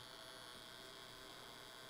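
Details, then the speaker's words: ZK-PW500 500W boost converter, 24 V input to 48 V output at 4, 6 and 8 A: steady electrical buzz with high whine, buzzing harder as load rises; inductor coil strain under heavy load. "więc przy 24 V działa trzy, jak widać, 4 ampery 6 amperów, bardzo brzęczy 6 amperów, brzęczy dużo 8 amperów,"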